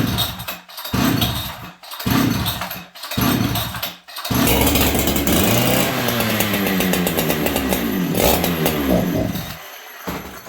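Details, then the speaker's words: Farmertec 288XP kit chainsaw: a few pulls and it fires, then runs a steady, crisp two-stroke buzz until it sputters out of fuel; it runs fine, though its oil pump doesn't oil. "But as you guys can see, this thing runs like a Swiss watch."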